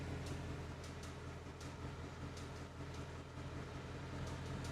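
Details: 2021 Mustang GT: faint, uneven light ticks, a few per second, over a low steady hum, coming from the AC side; cause not pinned down.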